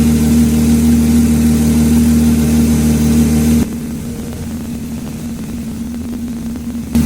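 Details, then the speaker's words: Lamborghini Murcielago LP640 manual V12 on Haltech Nexus R5 ECU with custom ITBs from two E46 M3s, after mechanical throttle balancing: deep steady even hum idling at 780–790 rpm (stock idle 1,000), no misses or hunting; smooth idle. "so yeah we're idling at what 780 790 RPM yeah and the the idle for the car is 1,000 RPM but that sounds so smooth at 800 I'm um I'm super happy with that"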